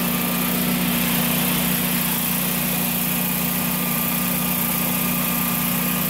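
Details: Generac standby generator after RPM sense loss failure repair and battery terminal cleaning: steady, even engine drone with constant hum and no knocks or surges; normal running.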